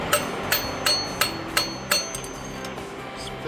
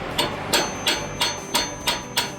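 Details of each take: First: Hydraulic lifter bench-tested out of an engine with valvetrain noise, tapped with a ball-tipped rod on top: six sharp taps about a third of a second apart, each dying away quickly; the lifter absorbs the blow, healthy. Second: Hydraulic valve lifter removed from a noisy engine, hand hammer-tap test with a ball-tipped rod: sharp, solid metallic taps with no cushioning, like hitting rock, unlike a good lifter whose spring absorbs the tap; plunger stuck.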